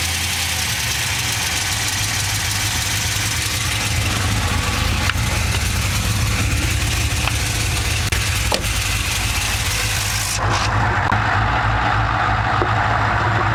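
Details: Chevrolet LS2 V8 idles steadily with a light, quick tick on top, roughly three a second; the source of the tick is not yet found.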